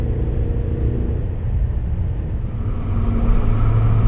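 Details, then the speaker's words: Toyota Tundra TRD with BAmuffler TRD replacement exhaust, highway uphill at about 55 mph and 1,500 rpm after downshifting out of sixth gear: deep steady low cabin drone, even and not harsh; normal exhaust drone under load, gone back in sixth. "Got a little drone there going uphill about 55 miles an hour, about 1,500 RPMs. Hear it a little louder. Again, nothing annoying."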